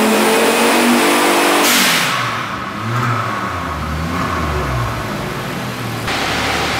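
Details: Volvo 850 turbo with 19T turbo on a dyno, running lean at the top: engine pulls hard then drops back with an uneven, stumbling note under load; suspected misfire that doesn't show on the street.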